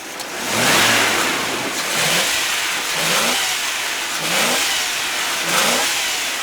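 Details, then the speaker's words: 1995 Ford F-150 4x4, 5.0 V8 with K&N air filter: five clean throttle blips with intake rush, no taps or knocks; nothing mechanically wrong. "now you can hear that what said it pretty good you can hear the air coming in through that K&N filter no taps no knocks nothing mechanically wrong with this truck"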